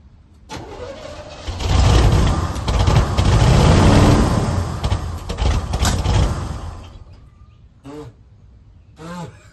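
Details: 1971 Chevelle Malibu small block, sat 20+ years, spark restored, on starting fluid with a little throttle: cranks, catches, runs lumpy with surging and uneven pops, then fades out; a little smoke and a big backfire. Carb suspected, not confirmed.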